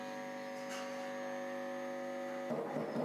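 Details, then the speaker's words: Ahuja SPA-1000 watt amplifier with low-sound fault, after replacing the driver (DT) transformer suspected of shorted layers: steady full test tone at strong level even at 10% volume, then rustle; normal amplifier output. "ऐसा इसलिए दोस्तों क्योंकि हमारा ये DT transformer जो था वो शायद उसका लेयर एक आध शॉर्ट था, इस वजह से प्रॉब्लम था।"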